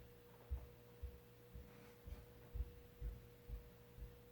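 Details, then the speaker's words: Mid-1980s Sears Turn of the Century 5-blade ceiling fan (Lasko, Sanyo motor, model 435.115500), first test in reverse on low since the new transistor and potentiometer: faint steady hum, soft thumps about twice a second, slightly slower; a good low. "that's a pretty good restaurant low actually that's a really good restaurant low"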